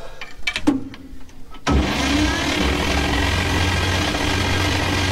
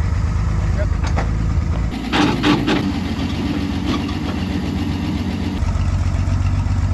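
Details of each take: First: 1953 Chevy 5700 COE truck, not run in about 50 years, cranking. The starter spins fast and perfectly even with no slowing on compression strokes; compression test readings were 50, 0, 25, 25, 75, 40. Low compression across cylinders. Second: Finished 1953 Chevy 5700 COE truck, revived after about 50 years sitting, now runs and drives: settles into a steady, low idle with an even beat and no knocking; sounds healthy.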